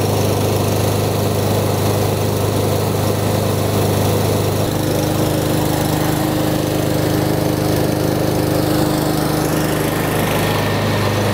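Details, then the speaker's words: Yardworks lawnmower with Briggs and Stratton engine, after the customer complained of kickback and a weird noise at startup; blade and bolt reinstalled. Starts and settles into a smooth, even drone with no knocks or scraping, so no sheared flywheel key or internal damage. "So that's all it was, guys. I'm glad it wasn't a sheared flywheel key or more internal damage to the engine."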